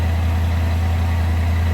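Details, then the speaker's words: 1964 Chevrolet El Camino, 86,170 miles, just started cold: steady fast high idle with an even low rumble and no knocks or misses; normal cold-start high idle that should settle. "It's on high idle because it did start cold."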